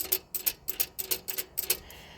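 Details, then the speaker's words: Austin Allegro on ramps: light metallic clicks in quick pairs from a brake linkage rattling loose on its split pin (the other side has a nut and bolt); owner plans to add a washer. "And this one's just got a just got a split pin. So that's what I can hear"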